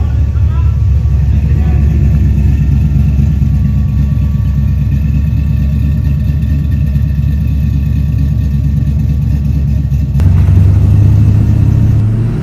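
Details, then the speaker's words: HZ Holden ute with an LS V8 swap after removing the windage tray, which had been hitting the sump and knocking like a bearing. It now has a steady, deep, even idle with no knock, a normal idle. "now that the the crank's not hitting that it's nice and sound the engine actually sounds pretty good"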